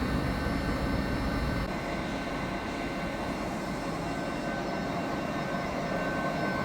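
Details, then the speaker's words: New large lathe first start-up, converted to 380 V supply, run in mid speed range via VFD: steady even hum with constant tones, no knocks or rubbing; spindle running normally. "Và bây giờ chúng ta có thể khởi động máy tiện. Vì vậy, chúng ta sẽ bắt đầu ở dải tốc độ trung bình và sau đó sẽ điều chỉnh bằng biến tần."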